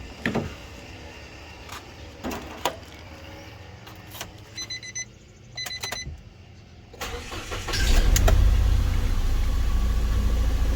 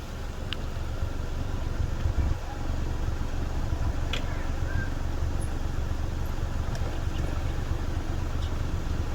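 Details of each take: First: First-generation Nissan Almera 1.2 three-cylinder, stumbling and nearly stalling: after starting, lumpy idle with recurring stumble, heard at the exhaust too; misfire at idle. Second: Nissan Almera 1.2 three-cylinder at idle, microphone at the exhaust tailpipe, after work that cured earlier puffing: steady even exhaust beat with no dropped pulses; normal exhaust note at idle.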